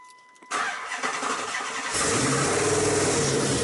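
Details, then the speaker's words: 2005 Chrysler 300C 5.7L Hemi after rebuild, noise suspected around cylinders five to seven: cranks, catches and settles into rough idle with steady tapping about four per second from the bottom end, sounds like rod knock, cause unknown. "you hear that that sounds like a fucking rod knock and for what reason is knocking i have no idea so that sounds like shit"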